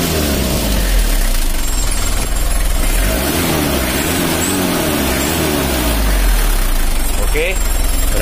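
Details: Mitsubishi L300 diesel that smoked white, after valve clearance adjustment and clearing an air filter intake blocked by carpet: deep clatter holds steady through light revs with no stumble or misfire; running healthy.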